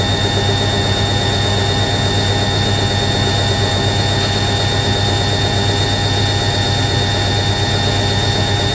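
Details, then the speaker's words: Newly acquired collector's washing machine spinning a load at 500 RPM, stable with little shaking, motor sounding slightly deeper than an A3060: a steady high-pitched screech rides over the drum whir; probably the motor bearing, not confirmed. "that's 500 RPM new list is screeching from the motor bearing probably"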